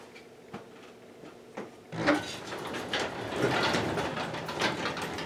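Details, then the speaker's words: Old garage door being opened manually: a few loose clicks, then rumbling, rattling roll with irregular clunks from clunky rollers; door protrudes outward on one side. "you cannot hear how clunky those those rollers are"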